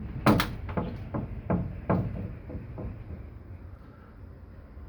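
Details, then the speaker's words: Plastic pipe in an apartment swaying in the wind: irregular hard knocks about twice a second, then fading; a loose pipe suspected of slapping against its mounting, not confirmed. "this pipe plastic pipe you can hear it with this wind it's making it sway a lot and it's making noises down here"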